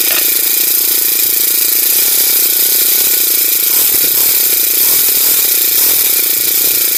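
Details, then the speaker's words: Honda GX35 grass cutter after its carburetor was cleaned: the small four-stroke revs high and steady with a sharp buzzy note and no stumbling. It used to stall even at full throttle and no longer falls short of power. Normal running. "hindi na siya kinakapos guys h na siya kinakapos lilinisan lang natin yung karburador niya"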